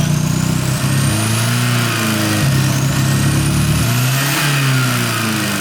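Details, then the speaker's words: Porsche 924 Turbo after vacuum line work, fresh fuel, driven and warm: on each blip revs climb then stall briefly, flat spot off idle; owner suspects residual old fuel, vacuum leaks, or cap and rotor, not confirmed. Strong above 3,000 rpm. "Still a little dead spot in it. Hear that? It might still be, I did drain the fuel tank and put new fuel in it. There might be an issue there."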